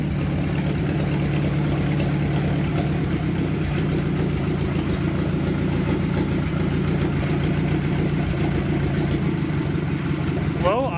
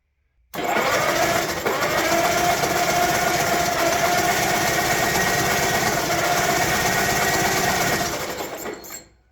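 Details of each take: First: Old tractor, locked-up engine freed, started in sub-freezing cold: slow lumpy uneven idle with a deep low thrum close to stalling; idle speed set too low. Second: Old tractor bought locked up, in sub-freezing cold, no oil pressure showing and water found in the oil filter: quick, even whirring as the starter spins the engine briskly for about eight seconds without dragging or grinding; starter healthy.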